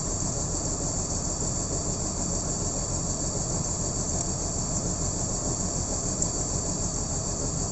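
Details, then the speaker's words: BMW M54B30 straight-six idling rough with misfires, left side cover removed to check the six ignition coils; owner suspects one coil is faulty, not yet confirmed. Loud, lumpy, uneven idle pulse with road-like background noise. "There are 6 of them, so straight 6, and then trying to find out which coil is misbehaving and giving me the bad idling and misfires."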